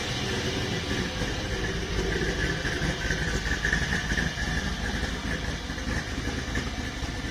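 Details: Volvo 240GLE with turbo LS2 V8, first test idle after fuel pump relay wiring, full single three-inch exhaust fitted, wideband disconnected, cold day: deep, steady throaty idle with even beat, nothing irregular; normal idle.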